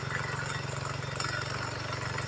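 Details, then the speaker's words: GY6 scooter idling; fast, uneven metallic chatter over the engine beat, with scoring inside the case and pulley bolts found flown off. Loose CVT pulley bolt rubbing the transmission case. "Definitely the problem is that bolt flying off. I found them over there."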